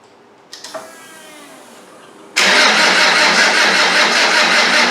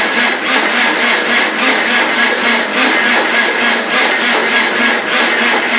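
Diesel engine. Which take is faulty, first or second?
second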